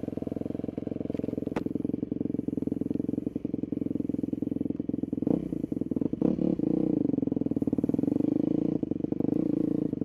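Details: 2002 Yamaha YZ250F single, freshly rebuilt, still in break-in at about 35–40 minutes of running: quick, steady thumping through warm-up with a couple of small blips and no odd noises. Healthy.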